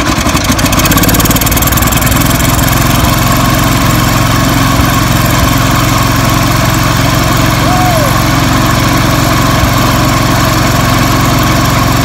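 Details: 1978 IH Cub Cadet 1000 tractor running after sitting 20 years: loud single-cylinder chugging at a steady rate with no stumbling, though the carburetor appears to leak or flood; normal running.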